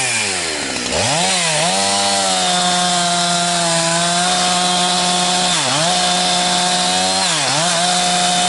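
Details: Husqvarna 362XP Special with wrong ignition coil and Walbro carb, cutting firewood: steady high scream stumbles and sags three times then recovers, cutting out near 11,500–12,000 rpm; fine near 9,000 rpm dogged in; four-stroking at wrong coil's rev limit.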